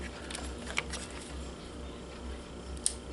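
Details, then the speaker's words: 1987 Pentax SF1 35mm film camera switched into autofocus mode: a small crisp click as the lens coupling engages the focus motor, showing it is seated properly. "a click is heard that click means that it fits well with the little motor which is going to move this piece"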